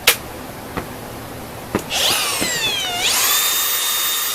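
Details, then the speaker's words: Makita DGA404 18V 4-inch brushless cordless grinder, returned from rental and reassembled during routine maintenance, test-run on battery. A few handling clicks, then a clean, steady high whine with no rattle or grinding. It sounds smooth and healthy. "OK，那目前声音听起来是很顺的。"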